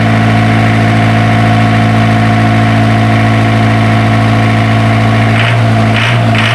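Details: Isuzu diesel generator engine, after troubleshooting a hard-starting problem: deep, steady idle with an even beat and no knocks or misses; running smoothly.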